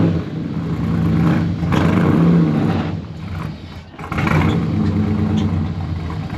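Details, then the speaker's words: 1969 Chevy C10 with 454 big-block, TH350 replaced by a 1000 hp-rated TH400, cold: big V8 revs up and falls back in long surges without pulling the truck up the ramp; slipping automatic. "Hey, she's moving. [Music] does not not want to go up the ramp. May need to get some toe assistance."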